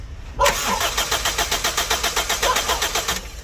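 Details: 2009 Toyota Corolla: about three seconds of even starter cranking at roughly four turns per second, engine never catches; crank, no start.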